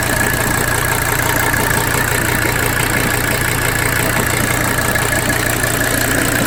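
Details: 1985 Mercedes 300D diesel clatter at idle with uneven stumbling rhythm; lift pump fuel pressure tested at 25–30 psi, ruled out as cause; rough idle, cause not yet found.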